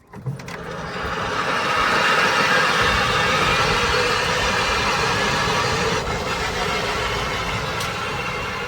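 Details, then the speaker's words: EZGO TXT golf cart after alignment, running: steady run with faint high squeal rising over the whine; owner suspects a bearing screaming on the back right side, unconfirmed. "Sounds like we have a bearing that is just screaming on the back right side here."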